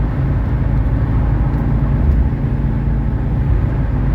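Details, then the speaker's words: 1985 Mercedes 300SD diesel on highway cruise at about 75 mph and 3,500 rpm: steady low drone under road rumble, even pitch, no knocks or misses; running beautifully, healthy engine. "all right we're we're at about 75 at about 3 500 rpms running beautifully and that's uh"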